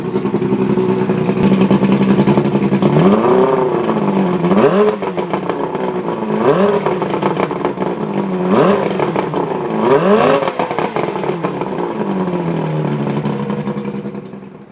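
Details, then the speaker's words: Outboard on a 1980 Skeeter bass boat starting in neutral on choke after priming the bulb, then running smoothly with quick throttle blips, no knock or misfire; carburetors cleaned and plugs replaced after it previously wouldn't start or idle; healthy idle and rev. "And as you can hear, engine runs great, and we hooked it up, and I guess the fuel mixture's right, and I didn't have any problems."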